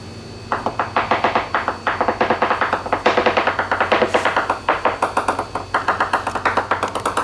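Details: 2021/2023 Leopard 45 catamaran hull, hammer tap test: quick regular taps about six a second, each ringing with a brief hollow reverberation. Dry fibreglass laminate.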